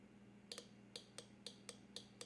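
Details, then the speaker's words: Fuel injector from 1989 Oldsmobile Toronado bench-tested off engine (15.1 ohms) with 12 volts and grounded pulses: sharp even paired clicks over faint hum; injector opening properly, sprays when cleaned with brake cleaner. "Next, we're going to test the clicking. Oops, I'm gonna treat this just like it is in the car. You feed 12 volts to it and you short the ground."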